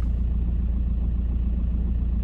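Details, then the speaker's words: 2008 VW T5 van, 132,000 miles, at idle with clutch out: low uneven rumbling rattle/knock that disappears when the clutch is pressed; worn dual mass flywheel, clutch also slipping, both being replaced. "it's a knock I don't know if you can hear it on the video so I'm just going to go quiet and see if you can hear it there's like a rumbling and then if I press the clutch in it disappears"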